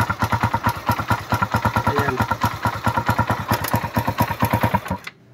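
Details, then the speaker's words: Suzuki Raider run without an oil change, restarted after carburetor cleaning, new filter, spark plug, regulator and battery, and fresh oil: loud, fast ticking clatter about ten beats a second over the idle until shutdown; top end worn from oil starvation. "Pakinggan natin yung makina dahil maingay yung makina nito, walang natuyuan."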